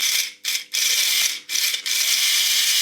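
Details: Tri-ang model railway locomotive motor run off the track after greasing the worm: a high, steady whirr with a dry gear rattle and two brief stops; the motor runs freely but the gears chatter, expected to mesh better on track. Cause suspected, not confirmed.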